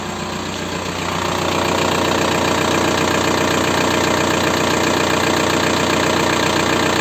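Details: 1.9 TDI diesel (ALH/AGR/ASV/AHF) at idle after an oil change: steady light tapping about three per second from worn hydraulic lifters and piston slap. Rings likely burned by 30,000 km oil intervals. New lifters nearly eliminated the knock.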